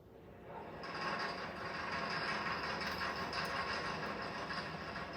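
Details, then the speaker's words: Petrol automobile engine runs with engine knock from fuel of reduced octane quality, a rough, rattling metallic knock over a dense mechanical roar; knock is abnormal combustion that wastes energy and limits compression ratios. "this is the sound of automobile engine knock the abnormal combustion phenomenon that wastes energy and limits engine compression ratios"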